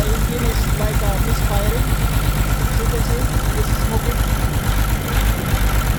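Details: Caterpillar C13 diesel idling with the valve cover off while injectors are cut out in turn, numbers two, three and five. Clattery, uneven beat around three per second, one cylinder not firing properly; heavy smoke. Misfire cause suspected, not confirmed.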